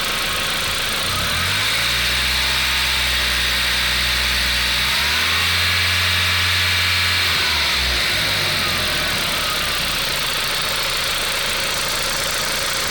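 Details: VW Golf IV 1.8T AGU petrol engine, 150 hp: busy metallic clatter from under the valve cover at idle, growing louder with revs; owner suspects the camshaft-linking chain, not confirmed.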